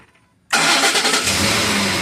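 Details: 2010 Ford F-150, code P060A, intermittent crank-then-shutoff: with the PCM power-supply fuse put back in, silence, then it catches at once into a strong, even idle with no stumble or misfire. Normal crank and start; fault is in that fuse's supply.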